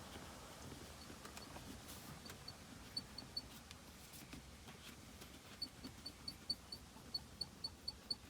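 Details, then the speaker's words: New Mercedes GLE: sharp, high chirping squeaks about four a second as the rear arm support is rocked side to side, believed the source of a squeak over bumpy roads. "When I pull left and right, so I guess when the car is moving, this thing is creating a lot of noisy sound."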